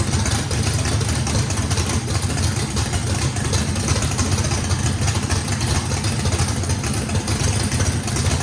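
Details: Brand-new race motor with a radical camshaft on its first fire-up, with big overlap and lobe separation; the throttle blade is about 6% open to hold idle. Deep, choppy, loping idle that fires cleanly with no blow-by; healthy normal lopey idle.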